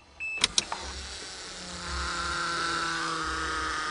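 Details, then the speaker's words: 1982 Cressida after a wiring fix, key on: a couple of clicks, then a steady high electric hum builds and holds evenly as the pump primes and purges air; fuel pump running normally. "hear the pressure changing she's priming I hear the air purging out of the system"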